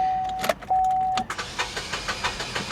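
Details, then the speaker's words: Repossessed, modified Toyota Corolla at an auction yard, jump-started: slow, uneven cranking with a hollow puff each stroke and no catch, compression escaping. Thrown rod or cracked block/cylinder suspected. "You can hear that there is compression literally blowing out of the engine somewhere. I mean, you can you can hear the compression blowing out of the engine on this."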